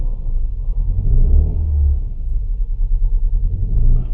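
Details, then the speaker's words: Petrol Opel/Vauxhall Vectra with the engine management light on, idling low and uneven, stumbling and pulsing from a misfire that makes the engine struggle. "is an Opel Vectra engine management ladies on and you can hear that that engine is struggling there"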